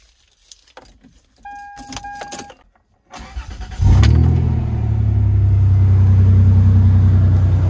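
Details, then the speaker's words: 2003 Toyota Tacoma, 393,000 miles, after new valve cover gaskets and reconnecting the injector harness for cylinders 2, 4, 6: clicks, short crank, then catches into a smooth, even low idle with no misses; no leaks. "yeah she's running under her own steam no leaks"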